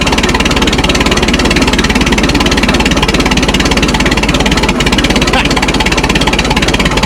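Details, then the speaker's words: Minneapolis Moline Z tractor just after dash rewiring: loud uneven beat around three pulses a second that wanders instead of settling; running rough, not quite right yet. "Doesn't sound quite right yet, but uh I'm going to get get this stuff bolted down."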